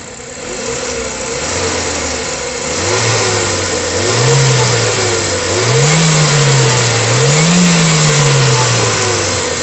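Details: Ford Fiesta engine after the timing chain repair, with new cover gasket and leak fixed: revs climb and fall smoothly through several blips with no rattle or slap at the front; the timing chain runs quiet and healthy.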